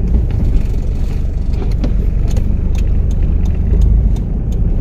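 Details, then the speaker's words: Toyota 1KZ(-TE) diesel with bigger turbo, road test after refilling viscous fan hub with correct silicone oil: steady low fan roar and loud turbo intake rush under load, even and healthy. "you can distinctly hear that fan noise it's got a pretty loud abduction on this thing since a bigger turbo has been put on"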